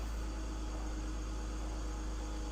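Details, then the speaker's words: 17-year-old 2006 BMW X3 E83 with M54 engine, after new belts, two pulleys and an oil service: a smooth, even idle with a steady low hum, and the earlier belt chirp is gone. The front of the engine sounds healthy. "everything up front looks good sounds good there's no more belt chirp which is a great sign"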